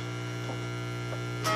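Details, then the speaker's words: Home-built tube guitar amplifier, volume turned up: a constant low buzzing hum whose tone shifts with the tone control; the builder suspects grounding and must rework it. "I turn it up, and there's the interminable hum. And it actually, the tone works on it. You can hear the tone of that crap changing."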